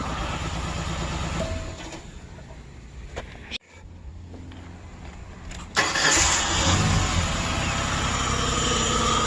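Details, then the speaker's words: 2003 Ford Explorer 4.0 V6 after a timing chain install: the engine catches after a pause and runs with an uneven, stumbling beat. It is misfiring, and the owner suspects a fouled spark plug (unconfirmed). "missing i don't know if that's because it probably fouled out"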